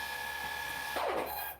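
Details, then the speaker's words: Brand new motors on custom 3D-printed 70mm EDF quadcopter, first hover test: steady high whine then rough warbling as throttle cuts and motor winds down; left rear motor suspected bad, possibly wrong 4S motor ordered. "These motors are brand new. I think one of them bad."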